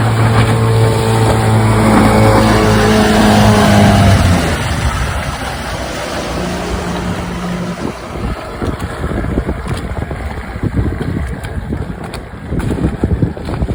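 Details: Restored 1996 Johnson 15 HP outboard, model J15RED0, on a lake test after a stuck thermostat and its gasket were replaced; it was thought to have caused overheating, heat-sensor shutdown and bogging. Steady buzz at an even pitch fades under water and wind noise, with no bogging. Normal running.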